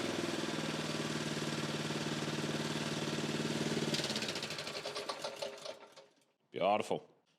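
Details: Honda small single-cylinder engine after carburettor removed, cleaned and refitted to cure fuel starvation: fires and settles into a steady, even run for several seconds before shutting down; sounds healthy.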